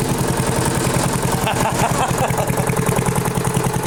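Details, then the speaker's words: Flea-market lawn mower with Briggs & Stratton 5 HP engine, primed three times, half throttle: steady even single-cylinder beat about 3.5 firings a second, no misses or knocks; runs healthy. "Wow, it runs great. Listen. Wow. So do I really need to release the dead man switch? Wow. That is the nicest running engine on the crappiest, ugliest frame I have had through my hands here."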